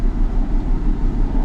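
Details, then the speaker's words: 2004 Ford Mustang after ball joint and alignment work, idling during power balance test; low uneven idle with rhythmic stumble and loping dips; cylinder 2 misfire, probably P0302 code; dead cylinder. "Cylinder 2 misfire, so that means it probably has a P0302 code. Now I'll go out to codes and we'll see what we get. Ooh, it's running bad."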